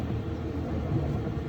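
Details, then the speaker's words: LG electric dryer previously making a loud rumbling noise because the drum was out of alignment (bad guides suspected), after the repair: a steady, even low drum rumble without knocks or scraping. Running normally, much quieter. "or listen to the difference you can hear yourself talking now man that was that was bad"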